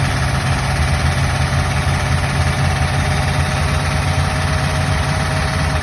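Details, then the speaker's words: Buick Nailhead V8 after the rocker shaft assembly was replaced (lifter preload .040), 45 psi oil pressure, with a little throttle: even, smooth rumble with no top-end ticking. The old noise is attributed to the rocker shaft. Normal running. "Wow, that sounds awesome compared to what it was. It must have been. It must have been a rocker shaft."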